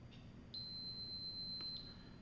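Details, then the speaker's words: Mower/ZTR electrical relay tested with multimeter continuity: single steady beep lasting about a second after relay de-energized and clicked, continuity now on middle terminal, not top; relay switches correctly. "Now, when you de-energize this thing, and you hear it click, you shouldn't have any continuity on the top, but now you should have some in the middle."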